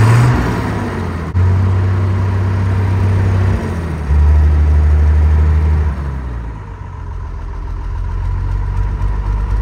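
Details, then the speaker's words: TK Bedford crane truck, Perkins 6354 six-cylinder diesel not run for 20+ years, after bleeding air from the fuel system: steady, even low rumble with smooth regular beat, no knocks or misses; idling cleanly. "I really like these engines this thing hasn't been running for 20 plus years and look at it's just running like a Swiss watch"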